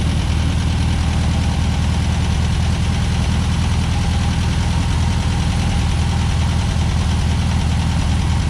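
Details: 1963 VW Beetle air-cooled flat-four with rebuilt Solex 28 PICT carb, after engine compartment degrease: steady, even idle with loud low chug, no misses or knocks; normal idle.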